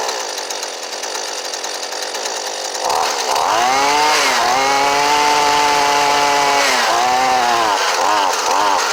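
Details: Husqvarna 128LD trimmer on a newly fitted Hipa replacement carburetor: it screams at a high steady pitch that wavers and dips between throttle blips; the high-speed mixture needs a small adjustment.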